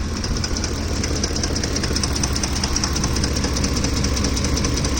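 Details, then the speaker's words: Ford F-150 with 3V Triton V8, engine at idle: a fairly regular light rattle, about two or three per second, from the top end that occurs only when the truck is hot; timing chain suspected, cause unconfirmed. "But then this only happens when the truck heats up. It's not like all the time."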